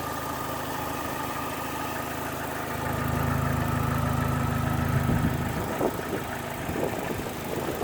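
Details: Opel Astra H GTC 1.8 automatic at idle: light, quick ticking about three per second over a steady idle, nothing else unusual; source of tick unknown.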